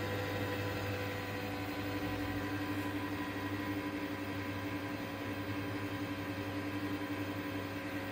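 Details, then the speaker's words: Desktop PC, cabinet fan freshly cleaned of dust with a hair dryer: steady whirring hum with a couple of fixed tones at startup; loud fan noise expected to settle to normal after 1 to 1.5 minutes. "आप लोग 1 से 1.5 minute के बाद CPU से इस तरह का आवाज़ आना बंद हो जाएगा और नॉर्मल हो जाएगा दोस्तों सीपीयू का आवाज़।"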